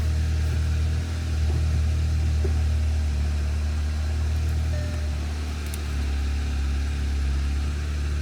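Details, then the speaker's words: Audi S1 bought as non-runner, started after oil and filter change: steady even low idle, smooth deep rumble, earlier clutch-area noise gone; normal idle, old oil suspected as previous cause. "But sounds perfect, if you ask me. Sounds brilliant."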